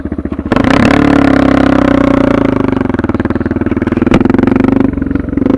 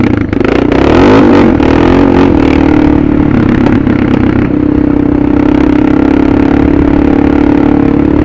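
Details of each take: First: Suzuki DR650 with Procycle jet kit, 150 main jet, DGV2 slip-on, mixture screw just over one turn out, about 40 degrees, just started: single-cylinder revs pick up cleanly and hold with no stumble or blips. Carburetion spot on. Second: Suzuki DR650 with a Procycle jet kit (150 main jet), DGV2 slip-on and stock header, in 3rd gear on barely any throttle. A steady drone with a few sharp pops as the throttle closes: deceleration popping, with the PAIR valve not yet removed.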